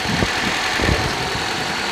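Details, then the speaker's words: Suzuki Carry that won't accelerate past 60, running on petrol at idle before switching to gas system: steady, even idle with soft low thumps, no misses or hunting. "นี่เลยนะครับเครื่องยนต์ก็เดินประมาณนี้นะครับรอบมีมั้ยไม่มีรอบนะครับ"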